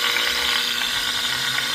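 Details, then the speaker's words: Seized scroll compressor from old AC run on variable frequency drive near 40-50 Hz: fast harsh high-pitched ratcheting clatter; suspected internal slop or shaft-rotor separation, then stuck. "I don't think that's just the magnetic field rotation we're hearing."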